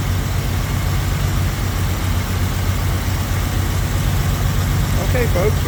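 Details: 1971 Jaguar E-Type fuel-injected V12, first start after a 2-year rebuild: uneven, loping idle with dead cylinders because three injectors were not connected. It ran smoothly afterwards.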